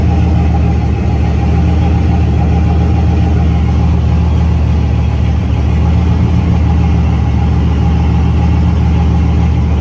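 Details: C6 Corvette, built LS3 V8 with big turbo (about 88), air-to-water intercooler, manual, restarted on Holley EFI after a quick tune (about 1% closed-loop correction, AFR on target): deep, steady idle, no misses, ticks or hunting; runs cleanly.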